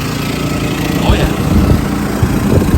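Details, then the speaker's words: Home central air conditioner with an Easy Start soft starter, run from a roughly $1100 generator in eco mode: steady low hum of condenser fan and compressor, no stalling or labouring; ran fine for about four hours. "well guys that is it it is actually working I have been running the air on that generator now it's been about four hours and everything's fine"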